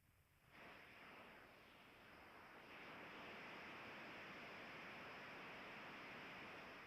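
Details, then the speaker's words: Ultrasonic leak detector (AccuTrak VPE-GN Pro) on an AC coil: loud steady hiss starting suddenly, no pulsing; large refrigerant leak distorting sound around it. "that's what it sounds like with the headphones on it's such such a big leak that it uh it just distorts sound all around it"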